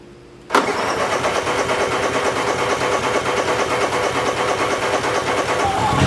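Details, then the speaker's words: Fish house camper generator, not started in months since midwinter, when it was hard to start until the oil alert was unhooked: it catches at once and settles into a steady even run with no misses or knocks, a healthy start. "Fired it up, and now I just shut the gas off and I'll let it run out. I'll fire it up again before we leave. Just wanted to make sure that it started right now though."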